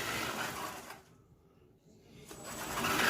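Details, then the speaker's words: Kanyon RC gearbox after teardown and repair: high, smooth motor whir winds down and spins back up evenly, faster, earlier grinding and clicking gone; healthy gearbox. "nice much faster and our olive oil clicking noise are gone so that's just what it was Wow fast that is"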